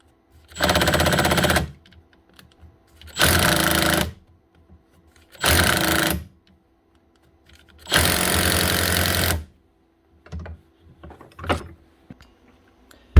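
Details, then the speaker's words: Makita DTD154 impact driver after replacing the gearbox housing with a failed front needle bearing: four short runs of fast, rattling, steady hammer blows; impact mechanism working normally. "One wee Makita Impact Driver, the DTD154, up and running again with a new gearbox housing, costing about, what was it, €17 plus the VAT."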